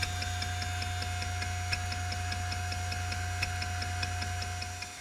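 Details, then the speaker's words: Old hard drive made in 1994, powered up on foam for a benchmark with a loud video card nearby: crisp, light seek ticks at a steady pace over constant fan and spindle hum, a nice healthy click; normal head seeks. "The sound of this thing, I enjoy it. It's not as obnoxious as the 1 gig HP. It's also got a nice healthy click."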